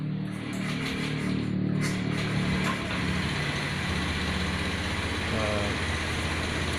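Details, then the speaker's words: Honda Scoopy fuel-injected scooter that would not start (dead fuel pump, no ignition), after temporary wiring repair and with a laptop scanner connected: steady, even low hum as it settles into idle, with no misses or knocks. Running normally. "ini motor sudah hidup ya teman-teman, ini sudah berjalan."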